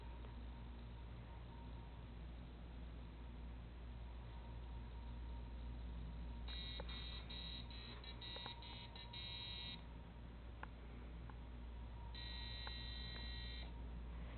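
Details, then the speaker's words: Arduino robot after its activation sequence: two bursts of rapid high buzzer beeps with red flashing lights, lasting 10 seconds, over quiet room hum. This is the warning when the soft potentiometer is not touched or the wrong spot is touched. "Only red flashes, and you hear that sound for a full 10 seconds. Yes, obnoxious. That's the point."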